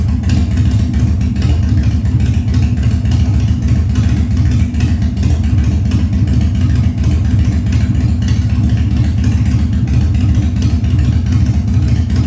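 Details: 1997 Harley-Davidson Fat Boy after carb cleaning, new plugs and battery; cold start on choke at 70°F humid, no air cleaner fitted: deep loping V-twin idle holding steady, no misses or stumbles; healthy carbureted idle.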